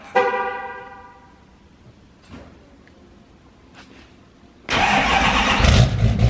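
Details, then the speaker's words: Chevrolet Duramax L5P diesel truck, all stock with the factory turbo, cold start before a Stealth 67 turbo install: after a horn chirp it fires straight into a strong, steady idle with no stumble. "Here's the cold start of the truck. Factory turbo. Everything factory with the turbo."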